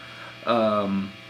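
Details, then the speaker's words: 1997 Marshall JCM900 SL-X with a 1960B cab (G12T75s and V30s) on the "Hardcore" setting, gain 18, preamp 8, master 2, treble 9: a steady low mains hum with heavy hiss over it at idle. "And as you can probably hear, it is really, really hissing over there with this one."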